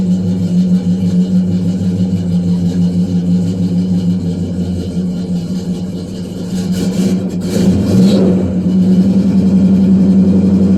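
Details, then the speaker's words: 1968 Pontiac LeMans, sat 14 years, restarted partway through a roughly 1,100-mile drive after eating oil: steady, even low rumble with no knocks or misses; normal idle, with 60 lb oil pressure. "well she started so that's a good sign we got 60 lb of [Music] pressure wow"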